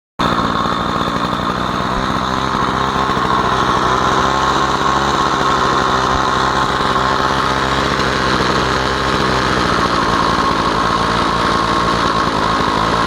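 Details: Stihl 045 AV chainsaw, first run after a new piston and rings, no clutch fitted: steady high-pitched scream with an even buzz and no sputter or rattle. Normal running.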